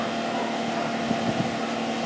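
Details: Mercedes after turbocharger failure repair, clearing oil from exhaust and catalytic converters: steady, even engine note with faint constant whine and wind; runs smoothly, no turbo rattle or screech.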